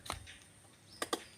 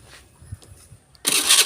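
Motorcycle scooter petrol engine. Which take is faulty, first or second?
first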